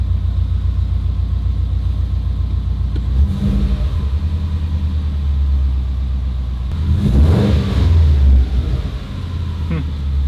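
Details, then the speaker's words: Subaru STI engine reinstalled after drivetrain swap with new downpipe and catback exhaust, first start; engine untouched since removal, warmed up a little, AFRs decent. Smooth steady idle with clean rev blip rising and settling evenly, no knocks or misses; running normally. "yeah honestly it seems to be running pretty damn good I mean I wouldn't really expect it to be running bad I haven't done anything to the engine since we pulled it"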